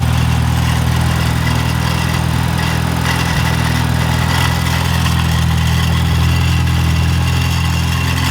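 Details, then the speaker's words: Mini at idle, on ramps, with a rattle that started at cold start; steady low idle with a thin metallic buzzing rattle from the heat shield, owner suspects a loose or broken downpipe mounting bracket. Exhaust heat shield rattle. "all right guys i think we found out what our issue is if you guys seen that i'm probably going to leave part of it in but attached to the heat shield and i think it may even be the down pipe the downpipe mounting bracket something's loose there or something broke"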